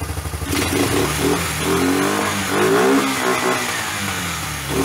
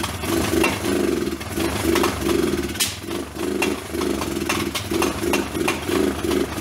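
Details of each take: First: Old Kawasaki four-wheeler single-cylinder after rebuilt top end, run on a car battery via jumper cables to fix weak ignition: catches quickly and blips cleanly up and down without misses; running fine. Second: Old Kawasaki four-wheeler, first start after rough top-end rebuild with hand-ground valves; single-cylinder stumbles and surges unevenly with sharp pops every second or two. Suspected ignition or low voltage, so a car battery was jumped to it.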